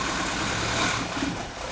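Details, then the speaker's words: 1984 Porsche 944 at idle after wiring repair: idle dips and swells unevenly and the beat stumbles; surging, hunting idle from an intermittent misfire on cylinder number two only. "all right so this is wild but number two is just having an intermittent misfire and you hear this thing surging and hunting"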